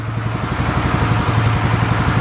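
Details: 2015 Polaris Sportsman 570 EFI, left outside for years and long unrun, idling on good fuel in the shop: a steady, even single-cylinder thump with no knocks or misses, with maybe slight smoke. It idles cleanly, and charging at idle checks good.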